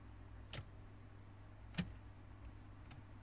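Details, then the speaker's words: 2005 Renault Modus 1.5 dCi, dark cluster, no communication with ECU, EPS and airbag modules: key turned to crank gives only a few isolated relay ticks and no cranking. "you can hear a relay going off or looks like going off over there and I'm gonna try to show you nothing happens look okay the dot panel goes off and nothing happens"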